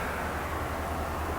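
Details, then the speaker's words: Racine power hacksaw after refilling the dry gearbox with about half a gallon of oil and cleaning the hydraulic unit's ports and needle valves: even, steady hum with a low regular pulse, no knocking or grinding; much quieter on the hydraulics, normal running. "it runs I just plugged it right now it's so much quieter on the hydraulics"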